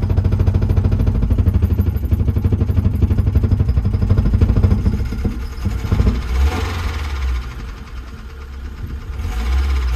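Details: BMW E30 Touring with a newly fitted replacement engine, started after new screws and cables: lumpy idle with a steady heavy knock about three times a second that follows engine speed; cause not pinned down, engine knocking.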